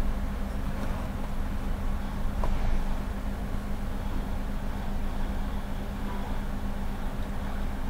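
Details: 2005 Honda Element 2.4 with check engine light on, misfiring after 40 miles of freeway driving per the customer. Low idle with an uneven, lumpy beat; scanner flags cylinder 2, and a live test shows cylinders 2 and 3 failing.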